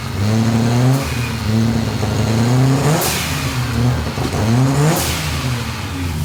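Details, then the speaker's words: 1984 Ford Falcon XE wagon, turbo Barra engine with Haltech Elite 2500 ECU, first start: short blips about every two seconds, coarse raspy edge and blow-off hiss; runs rough but willing, likened to an RB with Power FC. "sounds like a rb with a power fc [Music] it is a bit raspy"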